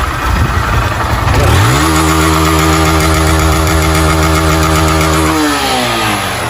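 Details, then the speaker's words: Motorcycle that smokes and makes engine noise, revved: revs up, holds a few seconds with a metallic rattle over the exhaust note, then drops back. Worn piston and cylinder; cylinder kit replacement planned. "Tá parecendo que aqui é só o kit cilindro, tá? Só o kit cilindro, tá bom?"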